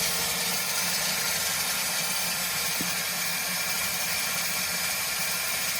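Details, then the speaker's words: Compressed air blown through the touch-activated multi-function faucet, hot and cold, while winterizing a 2021–2024 Winnebago Revel with the HydroLink panel; steady even rush of air with no water sputter, air heard through the cabin lines, purge complete. "At this point, you'll actually start hearing air going through the lines more throughout the cabin, and that is totally fine and done."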